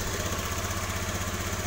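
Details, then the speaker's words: Honda BeAT FI scooter with ACG starter, after repairing the broken ACG coil wire that caused relay clicking: even, steady putter with a smooth low beat and no clicks or misses; normal idle. "normal bermasalahnya adalah kabel untuk menuju ke acg-nya ada yang putus"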